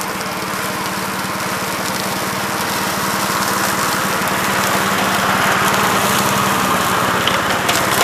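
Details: 1969 Gravely C8 walk-behind tractor after repair of no-high-range fault (drove only in low range, stop-and-go in high); morning start-up, crisp even single-cylinder firing about three to four beats a second, no knocks or misses; running normally.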